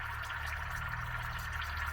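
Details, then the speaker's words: Sherp tire leaking air after a puncture and broken inner bead, noticed as snow melted at about 40 degrees: steady low drone with soft bubbling, trickling hiss; leak believed at the tire bead, to be repaired along with a patch. "i don't think it's possessed by the devil i think what we've got going there is a tire bead"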